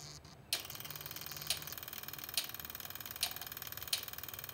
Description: I used a test lamp to simulate the fuel pump, and a single spark plug to look for spark. You can also hear the injectors clicking in the background.